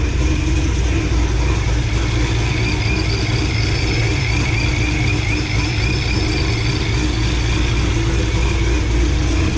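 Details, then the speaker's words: 2006 Corvette Z06 LS7 V8, ProCharger, full exhaust, first run after cam swap and ported heads, awaiting retune: strong even V8 burble at steady idle, no knocks, ticks or misses; healthy. "Sounds good so far. Alright, well, that was very exciting. It fired right up and sounded actually very good."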